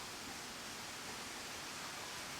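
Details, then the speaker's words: 1966 Chevy truck air suspension, with the rear airbag being inflated: a steady, even hiss with no rhythm, as air escapes from a leak in the rear air line, leaving the truck tilted to one side. "Yeah. I can hear it leaking. I did too. We got a leak inside."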